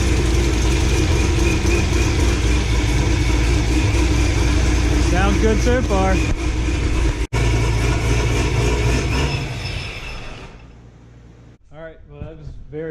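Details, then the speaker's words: 2006 Corvette Z06 LS7 V8, ProCharger, full exhaust, first start after cam swap and ported heads, needs retune: fires and settles into strong even idle with choppy cam lope, no knocks or ticks; healthy. "It fired right up and sounded actually very good."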